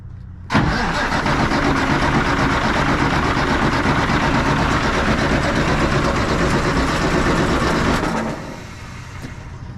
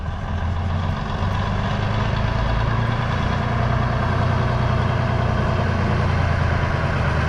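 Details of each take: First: 1965 Kenworth, cranking on a new 12 V starter with the clutch in after the fuel solenoid valve was opened; steady, even churn of about 160 rpm that never catches because no fuel is being delivered. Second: 1965 Kenworth with Cummins 855 inline-six diesel, first run in years after new 12V starter: deep, even diesel rumble at steady pace, no knocks, misses or rattles; running smoothly.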